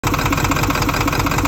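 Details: Ford OBS 7.3 diesel: lumpy, uneven idle with a pulsing chug several times a second, as if out of fuel; owner suspects the IPR, unplugging the IPS changes nothing, IPS reads about 3k cranking and on throttle; rough idle.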